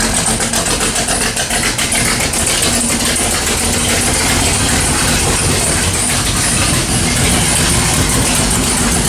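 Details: Sharp, quick ticking steady over a lumpy V8 idle, keeping pace with the engine: a header gasket exhaust leak on long-tube headers, on either the 1979 AMC AMX 304 or the 1970 Pontiac LeMans 455; fix is to pull the headers, wrap them and fit new gaskets.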